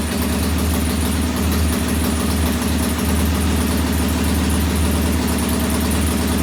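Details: Norton P11 vintage British twin, first kick-start after carburettor disassembly and draining old gasoline for fresh: loud, slightly lumpy idle that fails to smooth out; one pilot jet doesn't follow adjustment like the other side's and will be cleaned again.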